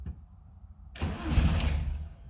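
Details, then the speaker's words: Van just refuelled (gas gauge not working), first start attempt: starter churns steadily for over a second with a low even grind, never catching; won't start, sounding like two cylinders, battery found dead. "come on why are we not starting sort of running running like two cylinders oh battery's dead"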